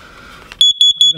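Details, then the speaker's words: Four quick, sharp high-pitched chirps, about five a second, from an RV LP gas leak detector dated July 2018, just over five years old and past its replacement date: end-of-life chirp, detector to be replaced. "supposed to be yellow to tell you that it's it's going bad it was red but we got that chirp"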